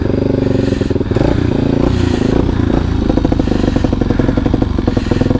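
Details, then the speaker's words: Kawasaki Super Sherpa single-cylinder after refuelling: thump keeps faltering and catching unevenly, engine stumbling; owner wonders flooding or lean, and turning the fuel off restored normal running, indicating running rich with too much fuel. "oh it still doesn't like it i think we're are we flooding or running lean"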